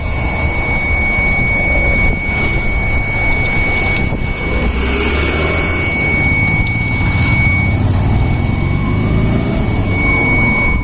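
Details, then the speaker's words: TVS iQube electric scooter at 31,685 km, ridden on the road to the service centre: a thin constant high warning beep over road and wind noise, with the warning light on. Regen isn't working and power cuts out on sudden acceleration; cause unknown. "അതേപോലെ തന്നെ ഒരു beep ശബ്ദവും ഒരു warning signal ഉണ്ട്."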